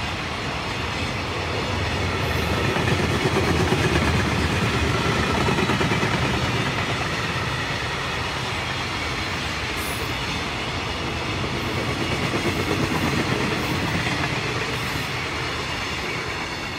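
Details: JR Freight EF66-112 hauling train 1097 passing Atsuta Station: steady repeated thudding from the wheels, many wheel flat spots.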